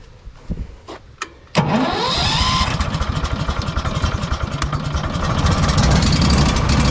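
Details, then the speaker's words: Walker mower leaf loader blower started after reassembly: engine catches at once, blower whine rises then settles into an even, steady roar with no rattle; working normally. "I can hear it already that it's working you can hear the humming noise"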